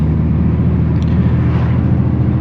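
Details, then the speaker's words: BMW 335i E92 after replacing intake vacuum lines, driving under boost: deep uneven burbling drone with a lumpy stumbling beat instead of a smooth six-cylinder note; misfire, owner suspects bad coil packs and spark plugs. "We got into some good boost, but the coils sound like it went bad."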